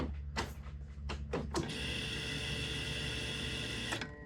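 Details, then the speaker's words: 500whp turbo M50 BMW E30, surge tank fuel pump after cleaning a clogged fuel filter never cleaned in 1.5 years: clicks then strong steady electric whine about two seconds; flow much stronger. "the amount of flow it sounds so much more potent now so this other fuel pump is probably good I'm going to keep this as a spare"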